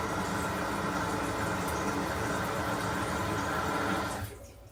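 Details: Bathroom toilet at about 60 psi after fitting a water hammer arrestor vertically on the 3/8 supply valve: steady rush of flushing and refilling water stops cleanly, no bang or knock in the pipes; normal flush and refill, no water hammer.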